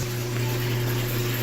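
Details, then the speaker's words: GE dryer running with its top off, making a loud, steady, low bass hum from worn drum bearings; repair kit with bearings, drum liner, felt and belt to be fitted. "it sounds like a real love pumping sound so I'm gonna put that fleece and I think that's what's gonna help I'm gonna throw the bearings and that drum liner"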